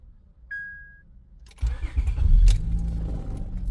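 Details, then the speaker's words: 2004–2008 Acura TL after replacing the bad ignition switch that caused buzzing and multiple cranks: short key chime, quick crank catching cleanly into steady idle, no buzzing; normal engine start. "It starts up, no problem. No more buzzing sound."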